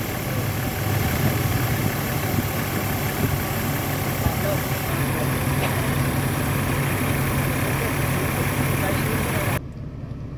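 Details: Mercedes-Benz 230E, 254,014 km, after condenser and drier replacement, new AC hoses and a new high-side charge port, idling parked outdoors at 32°C. Steady idle with an even compressor hum and fan hiss; vents reach 3–4°C and the compressor cycles normally.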